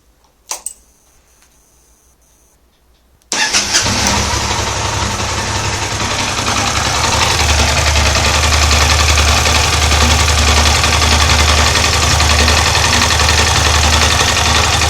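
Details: Yamaha TDM 850 twin at idle: steady light tapping, about four knocks a second, that lessens with the clutch pulled in and disappears in gear with the clutch engaged; suspected clutch noise, not confirmed.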